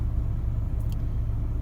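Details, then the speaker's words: 2004 Chevy Trailblazer after a fan clutch replacement for code P0128: steady low rumble at a fast idle with an even quiet fan whoosh, no roar or surging; fan stays near 500-600 rpm with the engine held around 1700 rpm, no codes. "Now at idle, it's settled down into a higher RPM or higher speed again."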